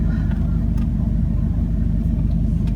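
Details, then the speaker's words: 2003 Jeep Liberty after replacing the camshaft and crankshaft position sensors, check engine light off: engine idles with a steady, low, even rumble, no misses or stumbles; runs better, idle nice, revving previously made it die. "actually runs a little bit better. The idle's nice."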